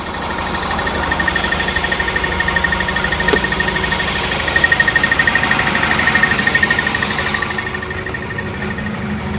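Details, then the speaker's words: 1994 Jaguar XJ6 running at idle right after a crank no-start fix, now fired by a GM Vortec ignition module after the original ignitor and coil failed; quick, even beat with light ticking, running smoothly. "Isn't that special? So that's running with that GM ignition module."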